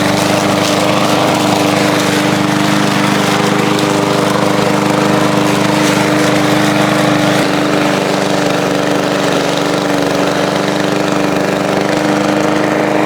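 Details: Old lawn mower after repair and fresh oil change, cutting grass: steady even single-cylinder drone, no misses or knocks; healthy under load.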